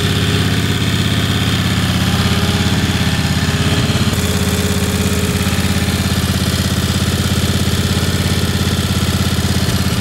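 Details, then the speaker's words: Ingersoll 448 lawn tractor, Briggs & Stratton 18 hp Vanguard V-twin, running with less restrictive STENS air filter instead of rough-running OEM filter: smooth, regular beat at steady speed, no stumbling or surging. Normal running. "so you guys could hear how this engine sounded without the air filter at all it ran perfectly fine"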